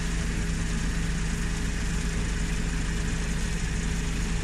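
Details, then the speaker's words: Suzuki Every wagon idling with the aircon on: a smooth, even low hum with a steady pulse, no shaking and no ticking. A healthy idle. "Hindi gumagalaw ang makina. Wala sa ingay kahit tunting tik-tik mga kajod. Importante talaga yung ingay niya."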